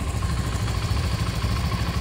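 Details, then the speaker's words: Modenas ZGT (Z15GT) single-cylinder motorcycle at 2,772 km, stock, at idle: light quick tok-tok ticking over steady idle; owner unsure of source, suspects the middle or top end, possibly con-rod-like. "Ada bunyi macam tok tok tok tok tok tok tok tok tok tok. Ni motor standard guys."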